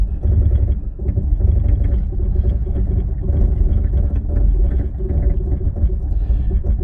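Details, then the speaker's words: Toyota 4Runner descending a 30% decline in first gear with Downhill Assist Control on, tires aired down to 17–18 PSI: loud rough low rumble and grinding brake pulses, an awful-sounding but normal DAC operation. "you notice that sound it's pretty terrible awful sound but that's what it sounds like it's also what the crawl control sounds like on the offroad"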